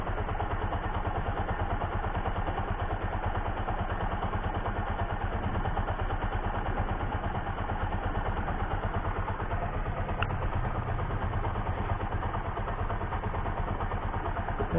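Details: Bajaj Pulsar 135 (S135) motorcycle with a total no-start or lost-ignition problem, now started and idling. Small single putters at an even, steady beat with no stumbles or dropouts: a healthy idle.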